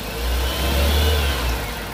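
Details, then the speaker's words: 2000 Toyota Soluna XLi manual, privately used, not ex-taxi: quick throttle blip rises and falls cleanly with no knocks, ticks or misses; engine revs smoothly and sounds healthy. "Kita gas ya. Wah, suaranya enak banget, Teman-teman."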